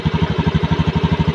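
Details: Honda Scoopy (ACG starter) scooter after cleaning the rusted side-stand switch that caused weak starting: even pulsing about ten beats a second, steady and smooth, no clatter; healthy idle.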